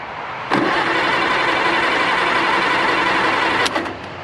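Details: 1960–63 International Cub Lo-Boy tractor, sitting 10+ years, broken starter wire fixed, on a jump box: the starter spins the engine freely and evenly for about three seconds but it never fires. Cranks, no start.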